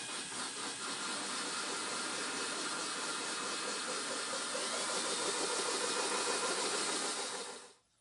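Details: Drill with a diamond-coated bit boring a hole in a glass bowl for a DIY lamp, water kept in a ring around the bit: steady high hiss of the bit grinding through wet glass for several seconds, stopping cleanly; that even hiss means it's cutting properly.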